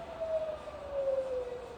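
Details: Rebuilt Bridgeport milling machine head in high range, slowing to about 550 rpm: quiet, steady hum with a faint mid tone easing lower, no knocks or grinding; spindle running smooth, normal.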